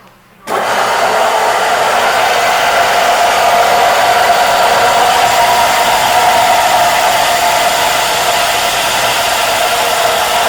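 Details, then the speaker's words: Littleford FM 130 D plow mixer chopper motor, fan cover removed, runs with a rough airy whir and gritty rumble from worn bearings; the chopper motor needs new bearings. "When you hear it, just even right now, you can hear the bearings rumbling."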